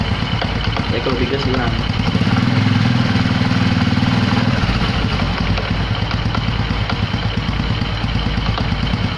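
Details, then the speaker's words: Honda Supra X125 (KPH engine) after clutch housing ring repair and new centrifugal clutch shoes: loose uneven rattle over single-cylinder idle; rattle persists, one-way clutch suspected as the source. "Pas dinyalain ternyata masih bunyi gredeg."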